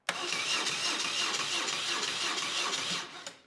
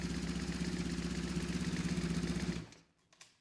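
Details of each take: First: BMW R1150RS that was severely overheated, cranking with the key on before any starting fluid: the starter turns the engine at an even pace with steady compression pulses but it never fires. Crank, no start, and compression seems good. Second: BMW R1150RS after severe overheating crank-no-start, with new Hall effect sensor set to baseline (not yet timed), new spark plugs, cleaned air filter, new alternator belt; boxer twin fires right up, even low pulse about four beats a second, then shut off; normal start and idle.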